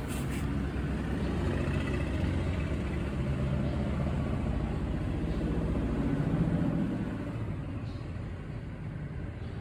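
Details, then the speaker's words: Honda Wave 110i 2022 motorcycle: quiet when cold, but when hot after a long ride it idles with a quick, steady tapping of three or four small clatters per second; cam chain tensioner letting the chain slap, fixed by modifying the tensioner. "แต่พอขี่ขับรถไกลๆเครื่องเริ่มร้อนร้อนแรงๆมันจะมีเสียงดังจ๊อกๆแก๊กๆๆๆ"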